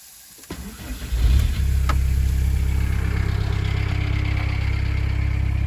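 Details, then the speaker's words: 1988 Volkswagen Type 3 Transporter Synchro after a new exhaust pipe was fitted to replace the broken one: the starter whirs, the engine catches with a rev and settles to a steady low idle with no puffing or rasp. Normal idle. "Okay, so now the new exhaust is on. I'm just going to start the car, see if it's any better."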